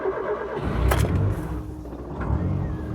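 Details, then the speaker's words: Rover Metro (Rover 111) cold start: brief crank, engine catches quickly and settles to a steady rev; starts easily but needs the pedal slightly depressed until warm because the coolant temperature sensor needs replacing. Normal cold start. "Starts easily enough, as you can hear. But unless you just keep your pedal ever so slightly depressed for a little while, there. The coolant temperature sensor needs replacing."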